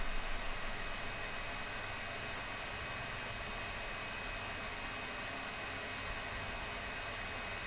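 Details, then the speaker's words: Old Packard Bell ST85M laptop, hot to the touch: a steady, hard airy roar with no letup as the fan runs constantly at full speed from overheating, likely because the cooling can't shed heat. "l'objectif ici c'est de voir si on peut régler ce problème de surchauffe pour pas que ça turbine comme ça constamment"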